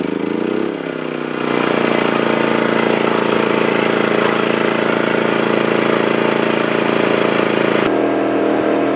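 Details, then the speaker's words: Wen 2350 inverter generator, switched from its default eco mode to full-RPM regular mode, started to run a Dometic 11,000 BTU air conditioner with Micro-Air EasyStart: catches and settles into a steady even hum; normal start-up. "And since today is such a sunny day, we will set up the Wen and fire it up and find out whether or not the air conditioner will run with the EasyStart."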